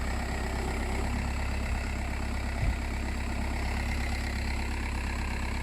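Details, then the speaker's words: Audi A4 B6 after replacing the alternator pulley to cure a steering noise: even, quiet idle hum with no whine, squeal or rattle from the belt drive, noise gone. "start this up and let's hear what the actual steering pump does whether the issue was the actual steering pump the steering rack or just the alternator pulley and as you can hear absolutely nothing goes"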